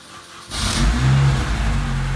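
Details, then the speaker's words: 2005 Mini Cooper S after alternator replacement: starter catches quickly, engine flares and settles to steady smooth idle with no squeal or rattle; charging about 14 V, healthy. "Sounds good up front. That's charging."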